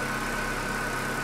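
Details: Chevrolet Corsa Classic 1.6 (not 16-valve) that arrived on a tow truck not starting, now running: steady even idle, smooth low hum, no knocks or misses; engine healthy and settled.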